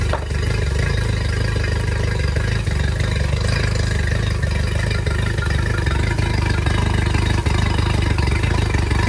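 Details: Yamaha T50TLRD 50 hp outboard after head decking and a new head gasket restored compression, at a deep, lumpy idle with an uneven beat about three times a second; a cylinder is dropping out in a misfire.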